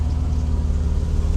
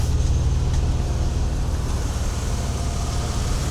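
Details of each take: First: Mercedes W126 300SEL idling after oil pan repair: deep, even rumble with quick rhythmic puffing from a cracked rear exhaust tailpipe leak. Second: Mercedes W126 300SEL after oil pan repair: the petrol engine idles smoothly with a steady, even low hum and no knocks, misses or ticks.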